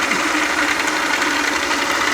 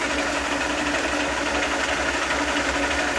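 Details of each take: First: South Bend lathe change gears before oiling: steady, even mechanical whir with light gear chatter, no speed change; noise from the gears lacking oil. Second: South Bend lathe gear train after adding a pumped oil lubrication system with guard and reservoir: steady fast meshing whir with even low rumble, no knocks or grinding, getting quieter with each oil pump; normal gear train running.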